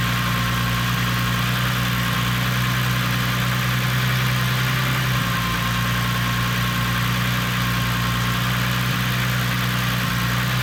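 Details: Corrado idling rough: petrol engine hum whose pitch steps up and back, an unsteady hunting idle; owner asks why the idle jumps up and runs so rich.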